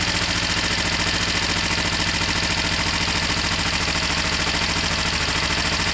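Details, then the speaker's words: Kawasaki ER-5 motorcycle, first start on choke after fixing rising oil level: even, steady idle pulses at about three a second with no misses, knocks or rattles, and no smoke. "Sounds fine, no smoke."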